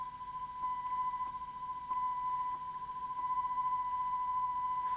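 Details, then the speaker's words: Ferguson Videostar 3V23 early VHS recorder playing test tone, before capstan belt change: slight rhythmic loudness wobble about 3-4 times a second, mild warble; capstan flywheel not rotating smoothly, wrong drive belt suspected. "It's not very pronounced. For a lot of material, you wouldn't hear it, but you might well hear it in music."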